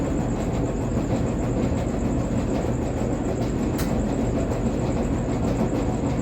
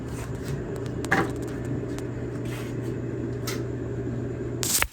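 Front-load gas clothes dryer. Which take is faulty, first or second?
first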